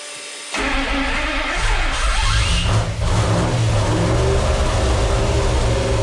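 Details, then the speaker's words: 1972 Plymouth Satellite 318 V8, newly started with a brand-new flat-tappet cam and zinc additive added to the oil: catches after a short crank and settles into a steady, even idle with no knocks or ticks; healthy. "ready all right let's let it warm up a little bit and uh now that we got it up to temperature and the coolant is flowing through the actual engine"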